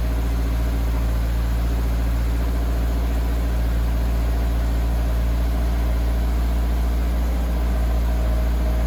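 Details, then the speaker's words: 2023 Toyota GR86 cold start right after the OEM exhaust was replaced with a new exhaust: deep, steady drone at a fast cold idle, even with no knocks or misses. Normal cold idle. "I'm gonna lower the car and then we'll get a cold start and you guys could hear it for the first time so let me drop the car and we'll do that"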